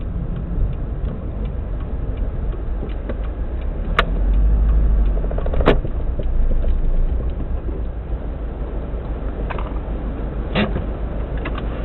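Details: 2002-03 Subaru WRX EJ205, warmed up, idle with uneven lumpy beat, irregular stumbles and the odd tick; cylinder 3 misfire, spark plug ruled out, engine shakes; supposedly a cracked valve.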